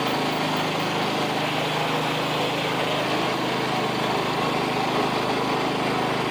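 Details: $25 Craftsman riding mower, refurbished with new belt and deck reinstalled: steady, even small-engine drone holding constant speed with no misses, surging or knocks; normal running, smooth.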